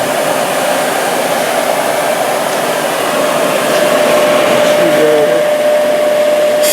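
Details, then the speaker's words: Used 1998 Workforce 8-inch bench grinder, 120 V 5 A, with wire brush and stone wheels: smooth, even whir with a steady high tone, no knocks or grinding; normal running. "so 1998 hey it still works good things are probably even built built better back then"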